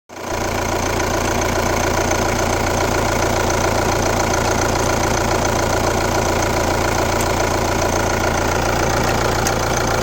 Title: Kia Ceed 1.6 CRDI 115 km D4FB Weird noise from engine #1